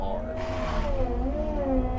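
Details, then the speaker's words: Excavator mulcher head labouring on cold hydraulic fluid: heavy low rumble under wavering, groaning tone; runs right only once fluid is hot, which needs about 30 minutes of pushing it hard in tough material. "you hear it doing that it'll quit doing that once that fluid gets hot and it's an annoying sound it doing that's annoying but the only way to get the fluid hot enough to the point where this head runs good is to push it and make it work that"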